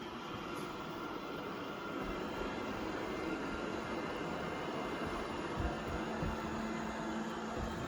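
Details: Used Eufy robot vacuum bought from Amazon Warehouse, first run on quick clean mode after a four-hour charge: steady, even whir with brush rustle, no catching or grinding; running normally.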